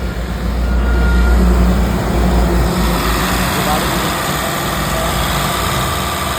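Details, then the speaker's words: Mahindra Bolero BS6 diesel after DEF (urea) tank replacement for faulty level sensor and DEF no-start fault, idling during forced DPF regeneration via scan tool: steady, even low rumble with no knocks or misses. "ये अब चला गया गाड़ी रि generation पे अपनी और गाड़ी की साउंड सुनाता हूं"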